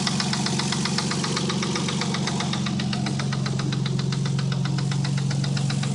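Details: 1990 Nissan 300ZX idling around 800–900 rpm with a sharp, extremely loud tick about four times a second over the engine hum; owner is sure it is not rod knock and believes it is a very bad lifter tick.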